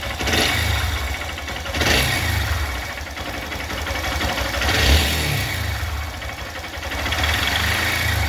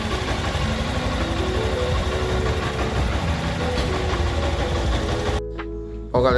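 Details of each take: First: Honda Bros 160 single-cylinder motorcycle engine running with an uneven heavy knock, roughly three a second, over the exhaust note; mechanic suspects the connecting rod bearing before removing the engine from the frame; suspected con-rod bearing knock. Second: Honda Bros 160 single-cylinder after repair of engine noise by replacing cylinder kit and connecting rod: steady, even beat with no tapping or knocking over the exhaust; noise gone, normal running.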